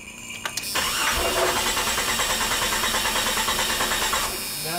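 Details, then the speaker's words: 1996 Jeep 4.0L that died during A/C servicing: starter spins the engine evenly at about three beats a second without catching; spark tester shows no spark, fuel pressure ruled out, ignition coil failed. "no spark so had nothing there was nothing showing I didn't see anything"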